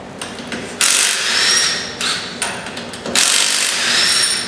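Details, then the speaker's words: Cordless impact wrench (not the 1/2-inch drive) bought used, spinning lug nuts off a Camaro wheel on a lift: two strong, even one-second bursts of rapid, sharp hammering rattle; normal operation, makes quick work. "Just like that, makes quick work."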